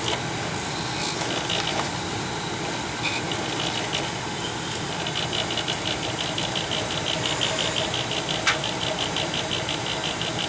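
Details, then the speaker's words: Old Bryant gas furnace reported making loud, fluctuating noise at night: rough, uneven whirring hum with faint irregular rattles over a steady roar. The motor up top sounds rattly and dry. Furnace blower motor needing oil. "It could be that that motor up top seems like it's a little rattly."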